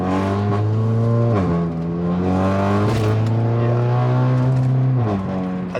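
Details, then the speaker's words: Stage 2 turbo four-cylinder Audi A3 pulling hard through the gears: deep boomy drone climbing with revs at certain RPMs, owner suspects a remaining exhaust leak, better after tightening a clamp that morning; exhaust drone under acceleration. "I might still be getting an exhaust leak um sounds pretty drony un like certain RPMs it's not as bad as it was before"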